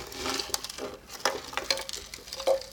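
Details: Speaker cabinet, long unused, tipped by hand: irregular clatters and knocks as something hard and loose tumbles around inside; cause still unknown.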